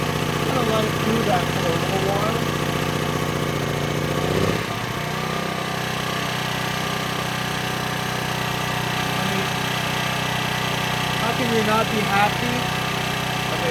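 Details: Small used generator of unknown history, started after its carburetor was stripped and cleaned, choke off: steady, even drone after a brief change in note, no hunting or surging; normal running.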